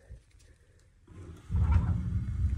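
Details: AO Smith Signature 300 gas water heater after replacing the gas valve and burner assembly, pilot lit and control set to A: quiet ticks, then a soft whoosh and steady low rumbling roar as the main burner lights cleanly and keeps burning.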